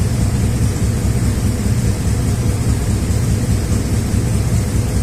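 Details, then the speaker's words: 2003 Chevy Silverado 1500 HD 5.3 V8 idling about 10 minutes on an injector-cleaner flush: loud rough idle with irregular stumble, not improving; cylinder 4 (weak injector) keeps misfiring, cylinder 3 less so; misfire history reaches about 40,000. "It's been running for about 10 minutes. And as you can see, it's not improving at all. Cylinder number 4 continues to count misfires. So does cylinder number 3. Not quite as bad."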